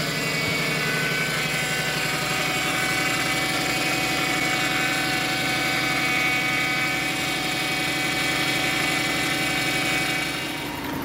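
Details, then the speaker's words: Lexus LS 400 idling, with the fuel pump squealing again: a steady airy hiss over a smooth idle that does not change with the engine is the air suspension venting, which is normal. "well guys i hope you can hear me that's the air suspension blowing off"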